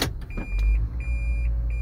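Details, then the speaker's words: 2010 Toyota Prius in reverse, ready mode: continuous high factory reverse warning chime over quiet cabin, before disabling it via OBD device. "you see that it's in reverse and it's beeping and it's like i have a long driveway and it's so annoying"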